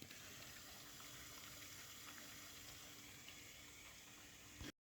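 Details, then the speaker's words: VW Passat B8 2.0 TDI EA288 (DFGA) after the coolant system was bled and refilled, engine just shut down: coolant trickles and gurgles steadily over a faint pump hum, then cuts off; the electric coolant pump runs after shutdown, about two minutes when cold. "So as you can hear, coolant is circulating. And when you shut down the engine, the electric pump will run coolant on the system even when the engine is not working"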